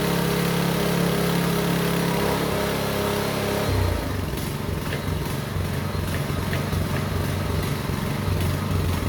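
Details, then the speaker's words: Small engine on a concrete vibrating needle that previously would not run, after carburetor work, started on choke: after a rough start it settles into a steady, lumpy, even beat and runs well. "Well, that's okay, it runs really well."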